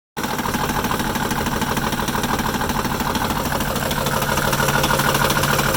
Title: Rough idle